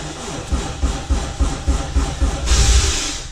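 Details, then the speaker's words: Honda CT70 with 85cc engine cranked cold in winter on weekly warm-up run; uneven, sluggish cranking thumps at about four per second, then a hiss; slow cold cranking, owner suspects a bad starter. "my starters trash if you can hear that"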